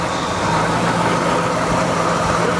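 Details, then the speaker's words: 1973 Dodge camper pickup big-block V8, not run since 1998, idling after revival; even, quiet, smooth low rumble, no missing or skipping, oil pressure building, no fuel leaks; very sweet running engine. "Wow, it's really quiet. Wow, I'm very impressed. There's no fuel leaks or nothing. That is a sweet motor."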